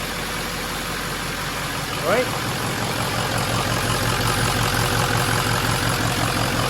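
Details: 1974 Ford Dentside crew cab swapped onto a 2006 F350 chassis with a 6.0L Powerstroke diesel, first start after priming a drained fuel system, no coolant yet, new battery. It settles into a steady, healthy idle clatter.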